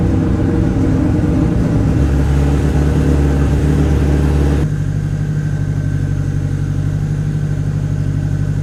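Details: Honda Civic on the tuning setup, first start attempting idle: lazy, uneven idle with a dull, heavy low thrum that settles lower; ignition timing retarded, needs syncing (angle then locked at 16 degrees).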